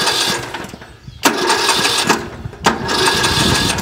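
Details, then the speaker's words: Yardworks 42-inch 155 series riding mower whose solenoid had clicked without the starter engaging, after the solenoid was given a better ground: repeated strong cranking bursts, engine turning over briskly each time the key is turned. "the engine turns over."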